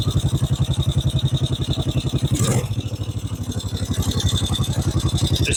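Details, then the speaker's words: 1950 Norton Big 4 single with sidecar, cold start on a cold day, choke on: steady even thumping, idling a little fast while cold; healthy cold idle on choke. "That's choked up at the minute, so we'll run it till she's a bit warmer, then we'll get that choke off. It's a cold day today though, so just wait for it to get out of it."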